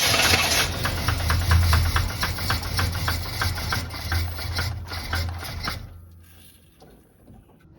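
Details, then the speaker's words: Abandoned barn-find square-body Chevy truck, tried with starter fluid: starter churns evenly about four turns a second for six seconds, then stops without catching; cranks but won't fire, bad gas suspected, not confirmed. "dad thinks it is the main problem that won't get no won't even fire up is because it's bad gas"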